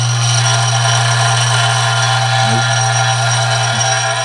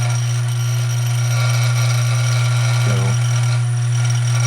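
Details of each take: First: Dillon RF 100 auto primer feeder with the rheostat cranked up high: loud steady low buzz with rattling chatter as primers jump around, some possibly entering the tube upside down or jamming. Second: A Dillon RF 100 primer feeder gives a steady, even buzz after fine-tuning: spring tension was released and the rheostat turned about 1/8 counterclockwise to speed it up. It vibrates much more smoothly and quietly, though a small feeding issue remains.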